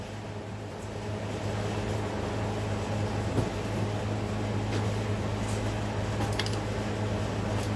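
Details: Towed-in car that had water-contaminated fuel, first startup on normal fuel supply with fresh fuel, acetone and fuel treatment cleaner added: low steady even idle, no stumble or miss, settles right in.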